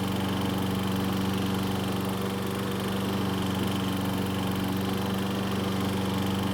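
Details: Troy-Bilt walk-behind mower running: steady small-engine drone with a fast rattling chatter about four times a second from the recoil starter, pawls dragging on the cup as the lower part of the mower flexes; stops when the rope is released from its handlebar guide.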